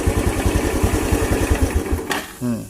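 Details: Honda Revo motorcycle idling rough with stuttering, uneven thumping about eight beats a second, then dying when battery is disconnected: weak charging circuit not supplying power.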